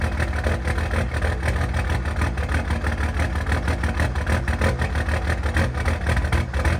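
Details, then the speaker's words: Cummins diesel truck after a valve lash check, a compression test and refitting old injectors: a poor start, then a deep idle with an uneven, lumpy beat around three pulses a second. The scanner showed fuel pressure pegged, so the pressure sensor is suspected and is being swapped for a known good one. "So as you saw there, didn't get quite the dramatic fire up. I checked the scanner and noticed that the fuel pressure was pegged out. So went ahead and grabbed a known good pressure sensor that I got."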